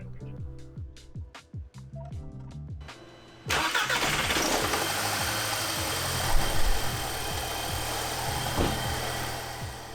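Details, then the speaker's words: 2006 Audi A3, 183,000 miles, just after engine flush added before an oil change: short crank, catches, settles to a slightly uneven, lumpy idle; rough running from clogged PCV valve and carbon on the intake valves, both addressed later. "now you might be able to tell the engine doesn't sound quite right but we'll be addressing that later in the video"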